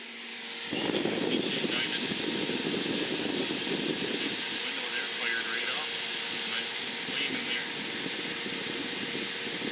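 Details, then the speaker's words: Suburban NT-24SP RV furnace in a 1987 Shasta motorhome after replacing blower motor, limit switch and sail switch: fan kicks on into a steady airy rush, no previous bearing squeal. Normal blower operation. "oh i know if you can hear that fan just kicked on and that sounds really good to me because before when that fan kicked on you would have heard a really loud squealing noise from that bearing"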